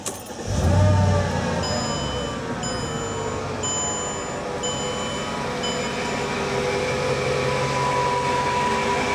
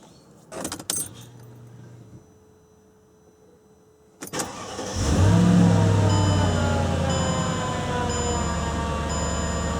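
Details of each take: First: 2003 Mercedes-Benz E55 AMG supercharged V8 idling with a coarse, diesel-like knocking rattle from a worn supercharger pulley (clutch) bearing under the cover; replacing just the bearing eliminated the noise. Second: 2003 Mercedes-Benz E55 AMG supercharged V8 after supercharger clutch bearing replacement, engine cover off: smooth, quiet idle with light even injector ticking; the diesel-like knocking from before the repair is gone.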